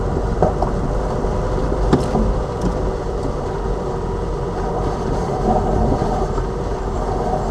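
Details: Lada Vesta Cross front suspension on a bad road after warranty replacement of the right shock absorber (SAAZ) and left strut: only tyre roar and soft thumps over bumps, no sharp knock; the knocking has gone, suspension sounds tight.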